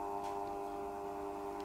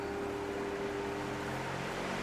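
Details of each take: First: Cheap Banggood triac speed controller driving an induction fan motor turned down: a steady harsh electrical buzz with a nasal hum over the slowed fan. The buzz comes from the triac chopping the supply and persists until full speed. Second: Induction fan on a cheap triac speed controller set to full: soft, even motor hum with steady tone and no buzzing, since the triac is out of circuit at full speed; fan runs cleanly.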